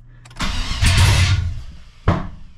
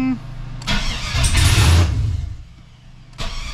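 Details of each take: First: 2003 Chevy S10 ZR2 with home-built 5.7 Vortec 350 V8 (880 block), open headers, after first startup: cranking with sharp random pops and two loud bangs, engine not catching or staying running at low RPM; intake backfire. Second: 2003 Chevy S10 ZR2 with home-built 5.7 Vortec 350 V8, open headers, just restarted after fixes: three quick revs then even idle, no popping or backfiring, noticeably smoother than before; normal running.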